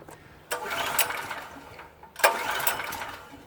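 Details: PowerSmart PS44 3000W generator that sat unused since 2017: two sharp rope pulls, each a short rasping whirr that dies away, and it never fires. The owner is unsure whether the choke setting is wrong or the engine is flooded; the no-start cause is unconfirmed.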